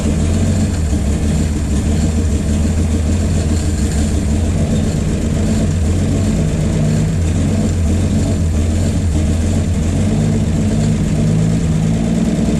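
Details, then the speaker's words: 1951 Chevy 1430 pickup inline six, previously seized, off road since 1976, running from a jerry can with idle turned up: steady low rumble at raised idle, even firing, no misses or knocking; runs pretty good, though fuel pump is bad. "oh yeah we have gone from a stuck motor to uh well it runs pretty good"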